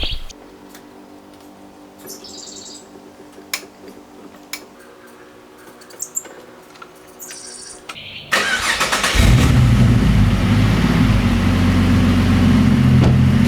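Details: Ford Falcon (BA–FGX) started after fuel filter replacement; quiet, brief crank, catches and settles into steady even idle without stumble; normal start and idle.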